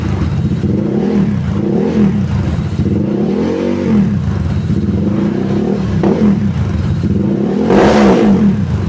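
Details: Tuned Honda Stylo 160 with a 61 mm piston, about 9.5 cam lift, near-3 overlap, scraped valves/head, full filter, 38 inlet/50 outlet, 28 throttle neck and the pulley not fitted: a loud, throaty sound with about five clean throttle blips over a steady idle; it revs freely and sounds healthy.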